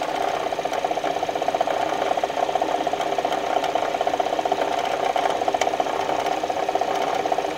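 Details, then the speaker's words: Kia whose recall-replaced engine began knocking again about a month later: close to the belt drive at idle, a rough gravelly rattle over a steady hum comes from the water pump, pointing to a worn water pump pulley bearing. "the noise is coming from the water pump"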